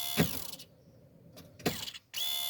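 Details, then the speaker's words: BMW E36 325 TDS with a hot-start problem: at ignition on, the lift pump makes short dry ratcheting clicks in two bursts, then a steady high electric whir. It sounds rough, so the owner swaps in another pump. "il y a un problème la bouge fait des ah ouais elle fait des brouilles chelou"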